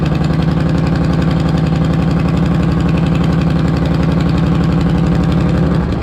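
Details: 1998 Harley Electra Glide Classic with almost 100,000 miles, very hot, just after an oil change with 20W50 Valvoline VR1, running to fill the oil filter: deep, even loping V-twin idle with no knocks or ticking; normal idle.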